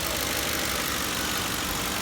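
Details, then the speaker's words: 2004–2008 Ford 5.4L 3-valve V8 after replacing coil packs and spark plugs for a cylinder 7 misfire and reconnecting a hissing vacuum hose: steady V8 idle, no miss, slightly high rpm until warmed up. "so I have a nice steady RPMs a little bit hot until it warms back up but don't have any miss any more"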